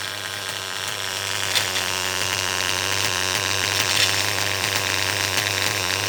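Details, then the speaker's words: R5 small engine at high revs: buzzing with random scattered chattering rattles inside; clutch setup checked, owner suspects a failing bearing, engine to be pulled; source not confirmed. "it's about the Chipmunk running around in my uh R5 I don't know if you could hear that just kind of that random noise maybe a bearing's going out"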